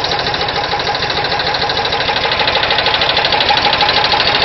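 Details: VW Type 4 engine at steady idle: sharp, regular ticking knock about three per second, clearly above the engine; engine knock of unknown cause.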